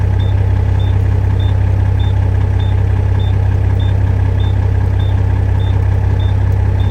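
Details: International 9370 truck diesel just started after sitting, idling to charge the batteries; steady idle under a high chirp repeating about two and a half times a second, warning beeper sounding, cause unknown.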